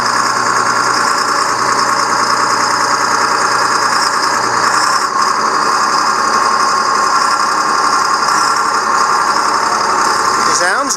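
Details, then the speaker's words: Tractor (4960) after split, driven through gears and range changes on jack: loud steady engine drone with even gear whir, no knocks or grinding; transmission sounds normal. "sounds good. I'm not hearing any weird noises."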